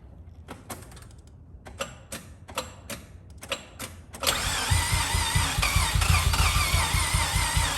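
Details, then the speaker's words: Rebuilt Mazda FD RX-7 rotary cranking with fuel pump disconnected for a gauge compression test on the second rotor: clicks, then steady cranking at about two pulses a second with no firing; three consistent pulses but seemingly lower compression than the first rotor. "huh seems lower there's a way you can test on these for like compression on all the faces and just hold it down and you get three consistent so it doesn't look like it's missing a stroke although it's not the greatest uh amount of compression looks like i don't know definitely more in the first one"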